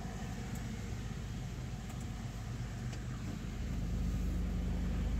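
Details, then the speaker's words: Suzuki Swift at idle after throttle body cleaning, holding about 800 rpm with the AC on and no fluctuation after the AC is switched off: quiet, even low hum with no hunting, a normal stable idle. "आप AC के साथ आप देखें, अगर AC चालू है 800 की रफ्तार से चल रहा है। अगर मैं एसी हूँ शट डाउन। फिर भी, नहीं उतार-चढ़ाव ( उतार-चढ़ाव) नहीं। बिलकुल। यह चिकना है।"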